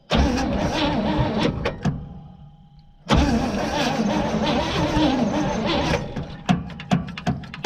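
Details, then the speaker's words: 1956 Pontiac restarted after sitting almost 40 years; short crank, fires and settles into a low steady rumble, idling on its own with dust blowing around; normal start and idle. "oh really good a lot of dust blowing around look at that it's actually addling that is incredible"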